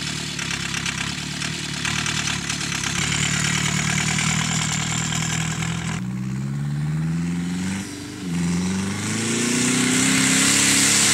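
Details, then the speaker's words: Ford Transit, after a hard cold start on ether and jump leads, while driving across a field: revs rise and fall with a strained scraping whistle on top; turbo seized from oil starvation, large oil loss noted. "that's not good that turbo is not selling happy I actually seized on me"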